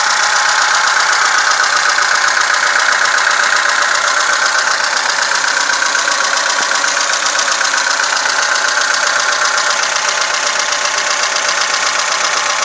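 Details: VAZ 2106 running: fast light ticking, around four per second, over a steady running engine, typical of loose valve clearance. Valve tapping.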